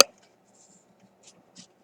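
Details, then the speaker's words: RCA M-45 radio, stiff wires at a replaced transformer being flexed: two or three tiny dry crackles as the rock-hard old insulation cracks; brittle wire insulation. "If you listen, when I bend one, you can hear the insulation cracking."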